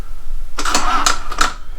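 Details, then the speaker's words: Harley-Davidson Street Glide, in neutral, with new S&S Sidewinder exhaust fitted: three quick dry clacks about a third of a second apart with no cranking; the starter only clicks because the battery is dead. "nope battery's dead all right so"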